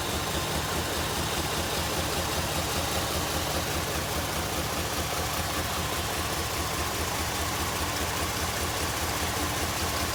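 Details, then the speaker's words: 2002 Jeep Liberty Limited, engine running: low uneven chug at idle, about two or three pulses a second like a slow train, engine vibrating more than it should, flashing check engine light; cause not yet diagnosed. "I don't know if you can see it, but it's definitely vibrating more than it should. It kind of sounds like a train. Chug, chug, chug."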